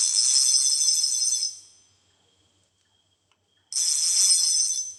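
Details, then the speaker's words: Fishing reel: two bursts of bright, fast, even ticking whir as the handle turns, fairly loud, no grinding or catch; gears healthy. "dan suaranya cukup keras nah ini membuat saya suka"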